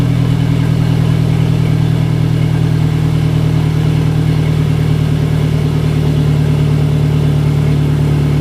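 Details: Car with a GTX3071R turbo that ran rough at idle for about 15 seconds then settled: deep, even idle hum holding steady pitch with no misses or hunting, now idling smoothly.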